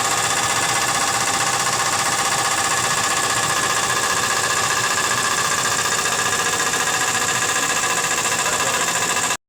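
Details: Nissan Z32 engine after recent work: slight tick at first that quieted, now a steady idle with fast, fairly even ticking about three or four per second; owner suspects rod knock or bad lifters, unconfirmed.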